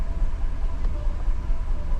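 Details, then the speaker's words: 2015 GMC Yukon 6.2 V8, misfiring after the customer refueled: deep idle with a steady low pulse and a slightly lumpy, uneven beat; scan data shows cylinder 3 misfiring, with history counts mainly on cylinder 3. "Ok, pero ahorita solo el 3 está fallando."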